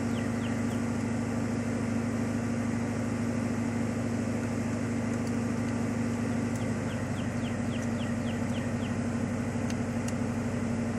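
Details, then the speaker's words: 1995 Ford Mustang GT V8 (OBD1) cylinder balance test after one wide-open throttle tap: computer cuts fuel and spark per cylinder, recording RPM loss; brief rev then steady even idle, low hum, faint chirp overhead. "it's going to cut Fuel and Spark to each of the cylinders and record the RPM loss and do some calculations and it's going to tell you whether or not all the cylinders are firing the same and Power"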